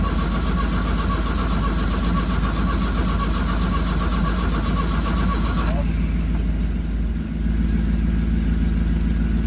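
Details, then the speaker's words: 1982 VW Vanagon Westfalia diesel, chilly day, after new battery, glow plugs and starter: steady cranking about three turns a second then drops out without catching; cranks, no start, owner suspects weak battery, ground later cleaned. "right now it's turning over but it sounds like the battery's still weak"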